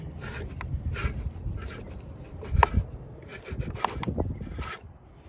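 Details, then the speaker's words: Original Mando alternator from a 2004 Kia Rio that locked up just sitting: rough uneven scraping and grinding as the rotor is turned by hand on the bench; rear bearing failed. "Yeah, them bearings are shot. You can hear it. Back bearing went out."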